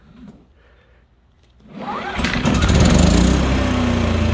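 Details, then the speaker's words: Propane-fuelled generator started with no load, economy mode off, choke in, primed, starter battery dead; after a few quiet seconds it catches and climbs to a steady, even drone, output light green. Normal start and run. "You see, you got green for the output, means it's making power."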